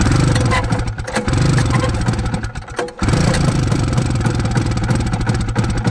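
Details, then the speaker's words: 1972 Arctic Cat Panther 340 two-stroke snowmobile, long stored and being revived. It burbles in uneven bursts, sagging and recovering and stumbling like fuel starvation. The owner suspects the carb, the fuel filter, low fuel or air entering the fuel line, possibly with some flooding. "We're having fuel delivery problems. It might have something to do with the carb or the fuel filter, or that the tank might be low on fuel."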